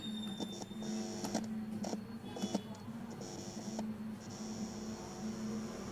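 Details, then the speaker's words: Hum with faint buzzing from the speaker of an STK-module amplifier board with power applied and no input connected. "இப்போ இதில் வரக்கூடிய இந்த noise நம்ம பார்த்தோம் இது எதனால் ஜென்ரேட் ஆகுது அப்படின்னு சொல்லி பார்த்தோம்னா, அதுக்கு உங்களுக்கு மேலே ஒரு ஸ்க்ரீனில் ஒரு இமேஜுக்கு போட்டிருப்பேன்."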